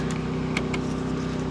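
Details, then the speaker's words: Champion 3400 W generator on gasoline running the Airstream RV air conditioner as the fridge is switched on too; steady even drone holding pitch with no hunting or bogging, no complaining. It had tripped every time on propane; normal running under load. "see how it likes that I don't hear it complaining that's working good"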